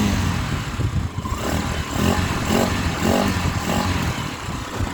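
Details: Honda Sonic 125 single-cylinder bike that would not start after sitting, three days after a repair; flooding from dirt in the new carb. After a new fuel line and added fuel filter it catches and revs cleanly, no sputter or bogging; runs fine now.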